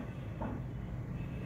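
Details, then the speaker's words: Japanese-market Suzuki Swift automatic idling in gear after the faulty engine coil was replaced; the earlier jerking and poor pickup were blamed on a blocked catalytic converter. Low, smooth, steady rumble; no misfire. "बिल्कुल गाड़ी easy है माशाल्लाह, कोई इस time गाड़ी में miss firing नहीं है।"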